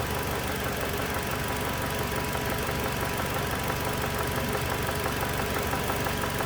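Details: 2007 Toyota Tacoma 2.7 four-cylinder, throttle held from the cab at higher rpm during injector cut tests: loud, fairly even bottom-end knock about three per second, changes when cylinder 1 is cut; teardown found a spun connecting rod bearing.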